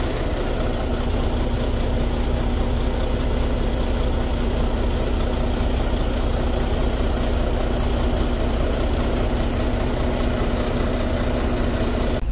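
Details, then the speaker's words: Freightliner Cascadia Detroit DD13 diesel after replacing a failed fuel rail high-pressure sensor with a used one: steady, even low rumble with no misses, knocks or hunting; engine now idles healthy. "Well, the engine run fine."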